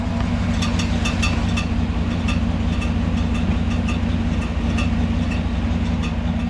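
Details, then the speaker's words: Daily-driver V8 at idle, no fan fitted: light, tinny, intermittent metallic ticks from down below, louder on the passenger side and rising with throttle, like a screwdriver touching a fan blade; starter bendix gear striking flexplate. "all right so you guys can hear what that was it's kind of a tinny kind of a I don't know basically sounds like somebody's touching a fan blade with a screwdriver type kind of a sound"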